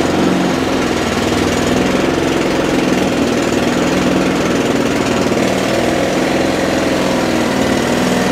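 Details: Mountfield 474 lawnmower from dump, steady single-cylinder drone under no load, no shake or misfire (bent crank thought unlikely), revs slightly low and lazy; may need a carb tune or dry linkages lubricated, cause unconfirmed.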